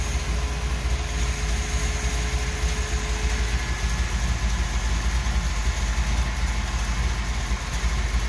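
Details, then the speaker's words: 1977 Chevy Camaro small-block Chevy V8 with newly installed Edelbrock Pro-Flo 4 EFI, restarted: starts on key turn, smooth steady idle with no stumble, tick or knock; normal idle, running like a dream. "oh man that is just so nice way too easy turn the key and it turns on seems to be running like a"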